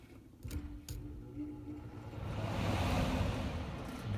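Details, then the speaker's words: Goodman air handler blower that was not working, bad capacitor replaced, fan wire jumped directly to test it; low hum then steady rush of air building evenly, blower motor comes on and runs normally. "And it actually is bringing it on. So what we'll do is we'll wire it back up and fire it up and turn the unit on and take some readings, see what kind of amperage it's drawing."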